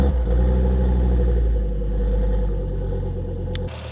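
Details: 1999 Volvo T5 2.3 turbo five-cylinder after rebuild, restarted after fuel pressure bled out; deep, even idle with a slight blip that settles, no knocks or misses, no leaks found.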